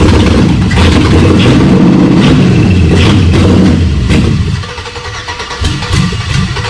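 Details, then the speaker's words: Chevy V8 swapped into Jeep Comanche, spark and fuel pressure confirmed: engine catches and runs rough for about four seconds, then sags and dies; only runs on starter fluid, cause unresolved. "all right well we didn't get everything done tonight that we wanted to we did not make the engine run but we got oh so close"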